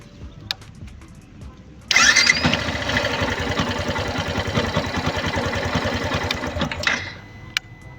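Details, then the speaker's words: Yamaha Fazer 150 after new starter motor installed: brief clean crank catches at once into steady single-cylinder idle with no grinding or whirring; the earlier strange noise was the faulty starter motor. "E assim que ele chegou, eu instalei ele e problema resolvido. Toda aquela barulheira que ela tava fazendo era só motor de partida."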